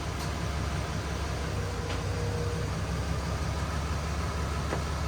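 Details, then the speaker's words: Stock 2020 Cummins automatic on a chassis dyno, airbox back in and codes cleared: deep, even diesel roar under full load with no stumble, knock or surging; a clean pull of about 327 hp and nearly 800 lb-ft around 1800 rpm, possibly not in lockup. "But that was a nice smooth pull on that one."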